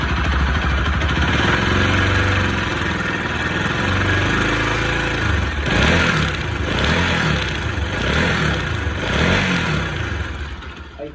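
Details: Bajaj Pulsar RS200 single-cylinder at idle: uneven, rattly mechanical clatter about two and a half per second over the exhaust beat; abnormal top-end engine noise awaiting repair, cause unclear.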